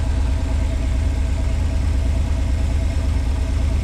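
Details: 1986 Pontiac Fiero SE V6, automatic, warm: steady, even drone at 1,065–1,070 rpm with no hunting or misfire, too high versus the expected 650–800 rpm. Owner suspects vacuum leak, idle control or sensor issue.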